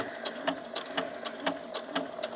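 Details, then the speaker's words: PFAFF Passport 3.0 sewing machine sewing on a button after the hand wheel is turned to check the needle clears both sides: light, even needle clatter at about four stitches a second with no knocks or drag. Normal button stitching. "i'm going to turn it once and twice make sure my needle misses on the left and the right and then i'm going to sew"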